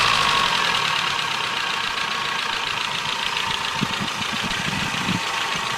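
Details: 1984 Nissan N12 1.5GL after carburetor, vacuum advance hose and spark plug fixes: light, fast, slightly uneven ticking over a steady idle; valves need adjustment.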